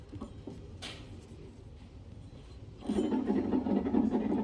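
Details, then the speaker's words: Cub Cadet LTX 1050 mower deck, blades on, belt spun by hand: deck quiet at first, then a dry gritty rasp starts; one spindle pulley sounds bad, same on or off blocks; idler pulleys already loose. Suspected, not confirmed. "So, I think that pulley's bad."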